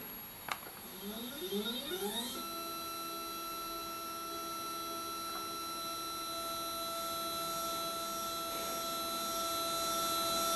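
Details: Skywatcher NEQ6 Pro mount after Rowan Astronomy belt mod and worm gear adjustment, slewing test. Stepper motors chirp through rising tones, then a steady, even whine with no skipped steps or grinding; normal slewing.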